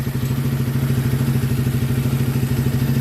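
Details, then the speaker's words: ATV/50cc machine just fitted with an oiled K&N air filter and header wrap (exhaust earlier noticed loose), started possibly with choke, in neutral. Steady, even, fairly quiet putter with no misses, knock or rattle: normal idle, about where it should be. "i mean it's probably about the same it's probably about where it should be so right on"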